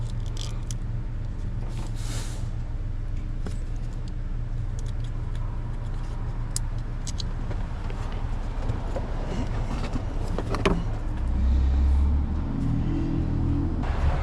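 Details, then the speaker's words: 2006 Toyota RAV4 crank-no-start with P0340 cam position sensor code after crankshaft sensor replaced; starter cranks steadily about four turns a second with an odd uneven note, no firing; one side suspected of not spinning. "Something sounds a little funny in the crank. I wonder if one side is not spinning."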